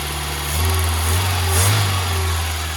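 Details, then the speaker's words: Barn-find Mk2 VW Golf freshly started after long storage, before reaching operating temperature: smooth, steady low rumble with no misses, knocks or ticks; sounds sweet, normal idle. "She sounds absolutely sweet. I didn't have anything. I have pure faith in it starting, but yeah, she starts."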